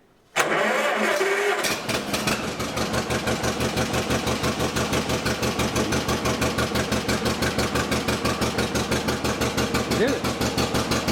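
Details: 1955 John Deere 40 S tractor, cold, started with a little choke: cranks, catches at once, then settles into an even steady two-cylinder beat of about three firings a second; clean cold start.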